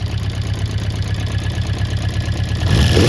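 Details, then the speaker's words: Honda CB400 Four, cold start on a freezing day after loose tappets reset to 0.05 mm: slightly rough four-cylinder idle with light rapid clicking about four a second over the exhaust beat; remaining valve-area tick, cause unconfirmed. "Yeah, so it's running all right. It's still a little bit clicky, that engine."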